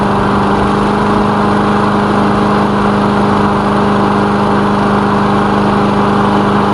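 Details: Lawn mower engine after repair, oil recently changed, initial test run with the elevator off; steady even drone, constant pitch, no knocks or misses; running fine, normal.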